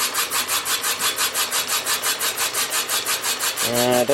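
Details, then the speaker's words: Willys Jeep F134 engine being bored .010" oversize, first cylinder: steady rhythmic scraping about three times a second, pulsing as the cutter bites only part of the bore, seemingly leaving a hollow; slight shadow later seen. "doesn't sound like a great cut uh sounds like we're leaving a little Hollow somewhere we'll see what it looks like when we get down there"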